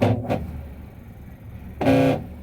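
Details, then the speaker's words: Electrolux washing machine noisy while washing: short tonal groaning bursts over low motor hum, caused by the worn plastic motor pulley. "Si escuchan el ruido. Ese ruido que lo produce esta piecita y el la polea del motor."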